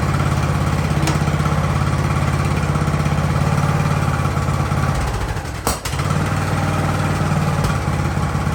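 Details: Ariens hydrostatic-drive riding mower, sat at least two years, idling in neutral in a cramped shop at about 30 degrees: steady, even low putter from the small single holding a smooth idle, no stumbling or dying; normal idle.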